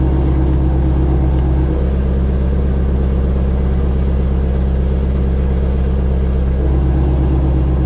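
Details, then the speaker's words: 2018 Ford Mustang Shelby GT350 V8 idling with exhaust mode switched from normal to sport, suspension malfunction warning shown: deep steady burble, even pulse and loud low rumble; healthy idle with sport exhaust open. "the exhaust mode normal sport you can hear the difference let me shut my mouth listen to this"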